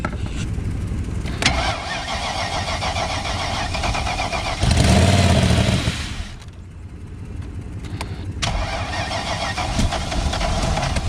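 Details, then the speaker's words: 1994 BMW 740i (E32), very rusty, first start after adding fuel with the fuel pump working: catches and settles into a loud, uneven idle with throttle blips and blaring unmuffled exhaust; runs rough, the exhaust essentially missing. "that's good but oh my goodness the exhaust is essentially missing"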